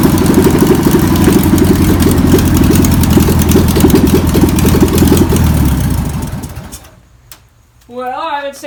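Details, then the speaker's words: VW pressed-bumper bus engine sat over 50 years, run after spraying and fuel added; fuel pump suspected bad. Rough, lumpy air-cooled flat-four runs a few seconds then dies away; old engine runs but is untuned. "that's a runner's so now we can pull the pull the engine out"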